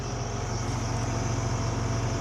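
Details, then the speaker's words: Swather, thought to be a 2006, with an 18 ft header: heavy steady engine drone with a fast, busy rattle from the cutting head. Knives are hitting, with the center knives dull or broken and needing replacement. "Sounds like there's some knives hitting in here."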